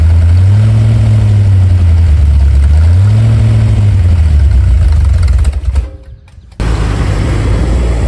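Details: Ford 289 small-block V8 with C4 transmission, freshly rebuilt and installed in a 1973 Mercury Comet, with H-pipe and mufflers: deep, even rumble with revs blipped up and down, a brief cut, then steady running again; runs cleanly, normal.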